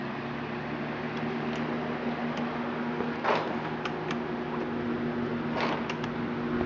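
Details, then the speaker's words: Four fans run from a 400-watt power inverter on a battery, on low and then high: steady whir of the fans over a constant low hum, with no surging or stalling; the inverter carries the load fine, though bigger inverters run them better. Normal running. "First we can turn them all on low. And they run good with the 400 watt inverter. Of course the bigger ones run it better."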